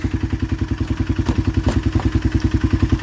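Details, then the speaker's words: 2016 Polaris Sportsman 500 single, idling after reassembly: steady even knock about three and a half per second; owner suspects piston knock because the old piston and cylinder were reused without new rings, and plans a new piston and cylinder. "I think it's a piston knock because I use the same piston and cylinder because they didn't send me no rings with my piston and cylinder."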